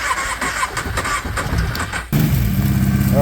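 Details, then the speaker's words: Kawasaki Prairie 650 ATV that sat for 8 years starts after a mouse nest was blown out and the airbox refitted. Two seconds of rough churning, then it catches and settles to a steady, even idle on its own, running while waiting for the fan. "okay we're going to let this thing run for a little bit we'll make sure our fan kicks on"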